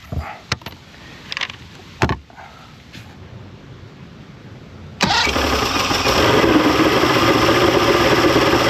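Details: 1995 Mercury 200hp XR6 Blackmax outboard, after timing adjustment and clearing carb jets: a few clicks, then catches and settles into steady even idle, no stumbling; runs much better than yesterday, normal idle.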